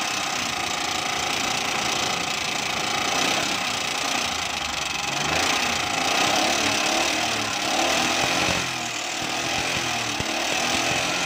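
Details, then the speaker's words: Car engine at idle, listened to with an engine stethoscope at the ear; loud, fast ticking of about three to four taps a second over the engine: tappet noise. "दोस्तों यह बात हमने check किया इसके पापड़ की आवाज़ ए रही है बहुत तेज आवाज़ है कानों से"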